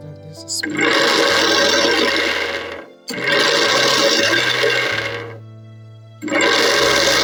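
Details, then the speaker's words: Blender after replacing the leaking blade assembly with a new one, which had leaked and been noisy: even whirring bursts with a steady pitch and no rattle or grinding; runs normally after repair. "all right so that has been able to fix a problem"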